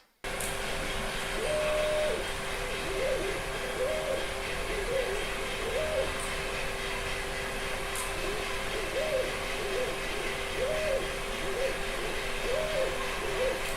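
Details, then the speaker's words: Viper 3D printer in an office noise comparison: its stepper movements are very quiet, while its cooling fan makes a characteristic noise like the other printers. Steady fan whir with soft short chirping motor tones as the head moves. Normal, quiet operation. "Porque ela é a única que não me atrapalha quando ela tá funcionando a gente praticamente não escuta ela funcionando Porém tem as ventoinhas que acabam virando o ruído aí bastante e característico"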